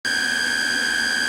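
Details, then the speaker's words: JVC TD-W75 cassette deck in playback: loud, steady high-pitched squeal at constant pitch; owner suspects the main playback motor bearing has gone bad or needs lubrication, not confirmed. "Sounds like the main playback motor's bearing has gone bad or needs to be lubricated. It's complaining pretty good here."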